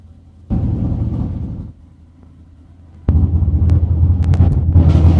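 Deep, uneven idle thumping in surges with the beat wandering instead of holding steady; this big V8 is idling rough.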